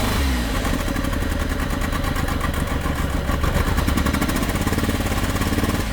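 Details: Flood-submerged Suzuki Cappuccino 3-cylinder turbo: lumpy, uneven chuffing idle with a limping beat as revs rise, one cylinder dead, running on two; stuck fuel injector blamed.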